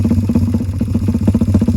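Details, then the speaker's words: Suzuki Satria FU carburetor-to-injection conversion, not run for a long time, cylinder head still under check, spark plug unchecked: lumpy single-cylinder idle with irregular beats and loose clatter; idle still unstable, cause suspected not confirmed. "Mungkin kalian pengen dengar suaranya, tapi untuk mesinnya masih belum bisa halus karena masih ngecek head lagi, sama mungkin agak pincang karena emang udah lama belum hidup."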